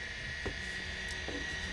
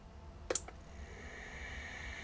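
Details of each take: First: Convergent Technologies AWS hard drive, well-tested unit, head arm likely driven by positioning motor rather than voice coil: quiet steady high whine at one pitch with soft faint ticks, quieter than Maxtor XT 219; normal drive spin. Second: Convergent Technologies AWS hard drive, bench-powered and not connected to anything: click, then whine climbing as disk spins up with faint fluttering chatter as heads move into position; abnormal head flutter, suspected fault, cause unconfirmed.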